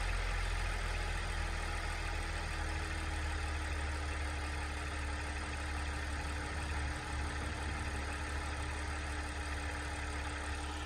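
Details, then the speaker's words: Audi/VW engine (S4, SQ5, A6) started after an oil change: smooth, steady idle with an even low hum and faint constant tone, no knocks, banging or misses; healthy normal idle. "as you guys can hear it fired up perfectly fine no loud noises no banging no nothing just fire it up so"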